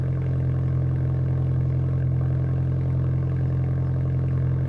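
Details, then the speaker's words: VW GTI after CTS Turbo downpipe install, first start with battery previously disconnected: steady deep even idle with loud low exhaust drone, louder than before; no misses or knocks. "it's definitely louder you can hear it starting to come into its own running"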